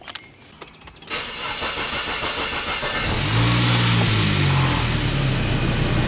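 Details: 1999 Saab 9-3 with crank-no-start complaint, scope on crankshaft sensor and coil feed: starter grinds about a second, then engine catches cleanly into a steady even idle.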